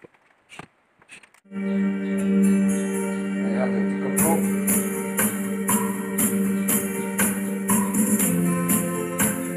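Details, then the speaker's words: Polytron PAS 8B28 speaker, two months old, after repair: loose plastic front panel refastened, cured buzzing, rattling distortion. Music now plays clean with steady bass and crisp tambourine, no buzz or panel rattle; normal playback. "ya suaranya sudah mantap dan tidak ada geber lagi"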